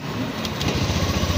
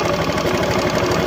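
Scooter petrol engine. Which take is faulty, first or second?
second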